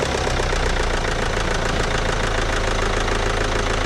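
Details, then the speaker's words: Mini Cooper D diesel that drank its own oil through the intake: rough, loud idle clatter with hard, rapid deep knocking. Owner suspects hydraulic lock and a bent con rod with low compression in one cylinder; injector also possible. "I think listening to it probably it's probably hydraulic itself um got a bent com Rod or something so I'm expecting the compression to be down in one of the cylinders"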